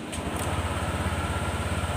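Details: Honda Click 125 scooter after repair of a broken wire under the fuse that stopped electric start and blanked the display: starts on the button, quick regular putter at steady idle, no misses or stumbles.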